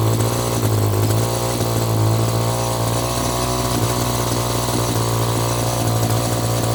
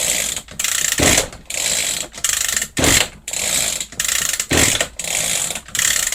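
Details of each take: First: Echo GT2 200i string trimmer, two-stroke, running after carburetor screw adjustment, choke off: even buzz takes a quick throttle blip and settles back without stumbling or dying; running properly, carb may need slight tweaking. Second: Echo GT-200i string trimmer with easy-start system, choke on after an air leak was fixed at loose carburetor screws. Repeated rasping pull-cord strokes about one a second with no firing: cranks but won't start; carburetor then removed for cleaning.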